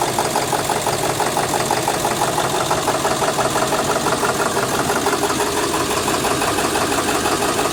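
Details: 2000 Ford 7.3L Power Stroke diesel idling roughly with a steady clattering knock about three beats a second, stumbling, with no power and white smoke; cause unclear.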